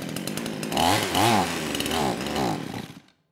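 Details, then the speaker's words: Kraftworld KW-5800 58cc Chinese chainsaw, run on straight fuel, low compression, suspected burned-up engine or crank seal; choke on, throttle at idle: weak, uneven burbling rising and sagging, dies after three seconds; won't rev, runs only on choke. "and yeah that's that's all it does you know I spent quite a bit of time on the lost footage trying to tune the carburetor anywhere from one turnout all the way to three turns out"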